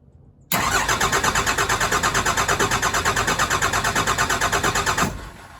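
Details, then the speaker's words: Cummins-swapped truck with new fuel pump, fuel pumped by hand; steady starter cranking about three pulses a second for over four seconds, never catching. Suspected air in the fuel system starving it, injector lines to be cracked to bleed. "so I phoned a friend and we're gonna have to crack all the injectors on the all morning crack three of them and get the air out of the system so maybe that's the issue is not getting enough fuel to it and won't fire"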